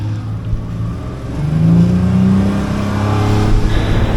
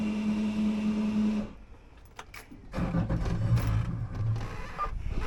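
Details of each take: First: Outboard boat engine after replacing the fuel/water separator (previously chugged and stalled getting on plane): engine note climbs smoothly onto plane under load, no stumble or cutting out; fix successful. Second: Outboard boat engine after fuel/water separator filter replacement, filter not pre-filled: starter cranks for a few seconds, stops, cranks again without catching; fixed by pumping the primer bulb several times.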